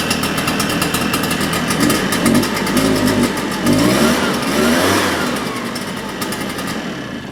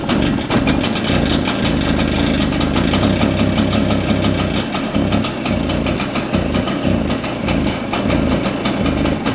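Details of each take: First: Shindaiwa EB802RT two-stroke backpack leaf blower after carburetor-related repair: idles, then climbs cleanly in pitch and drops back without stumbling or cutting out; the acceleration problem is solved. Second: Shindaiwa EB802RT two-stroke backpack leaf blower under throttle: runs ragged and stumbling, never clears out, then sags and quits; muffler exhaust flow felt clear, so a carburetion issue is suspected.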